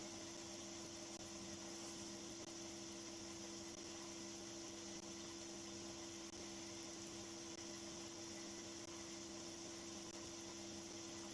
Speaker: as you can hear it's just quite as a mouse no vibration at all